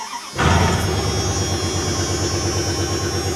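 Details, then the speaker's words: 1999 Dodge Ram 2500 van starting up and settling into a loud, raspy idle with a rapid puffing pulse from a small exhaust leak the owner thinks may be his own doing. "let's start her up it's going to be loud like i said a little bit of an exhaust leak which might be my fault"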